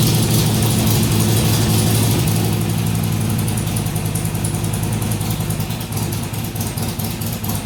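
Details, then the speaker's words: Harley-Davidson XR1200 V-twin, cold start, leaking throttle body addressed and idle settings reset to stock: lumpy idle starting high and sagging, hunting between about 1000 and 1500 RPM; cold idle surge improved but not fixed. "it didn't over rev near as high when it started so the throttle was definitely leaking but it's still you heard it would it would settle down to about a thousand RPM then it would go up to 1500 drop back down and go up drop back down"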